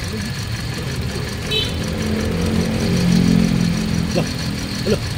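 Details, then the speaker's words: Toyota Vios Dual VVT-i that had been fuelled with diesel, spark plugs and filter already changed: an uneven, lumpy idle with strong vibration. Misfire traced to two faulty injectors and one bad ignition coil. "ayos na Ayos na natin an dalawang injector may problema at saka isang ignition coil"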